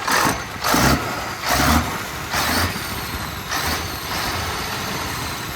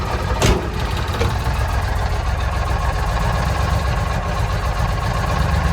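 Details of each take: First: 1965 Mack B61 turbo Thermodyne diesel after the idle was bumped up, running a couple of minutes with a steady, even idle under gusty background noise; normal idle with no sign of fuel shortage. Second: 1965 Mack B61 turbo Thermodyne diesel started with ether on a May morning after a fuel filter change; very low, loping idle that nearly stalls.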